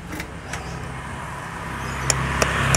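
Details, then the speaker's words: Honda CB150R electric starter: a few sharp clicks about three per second come from the starter relay under the seat near the battery, with no cranking. A clicking relay does not mean the relay itself is faulty; cause not confirmed. "Oke teman-teman, jadi bunyi cetik-cetik itu ya terdengar di otomatis starter ya teman-teman. Jadi otomatis starter berada di bawah sini, di bawah ini dekat aki ya."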